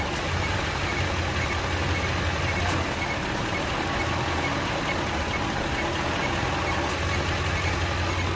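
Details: 2008 Ford F-150 3V with no-AC fault, AC compressor clutch manually energized so engine labored, then released; steady even low idle hum once compressor load drops off, engine idling normally.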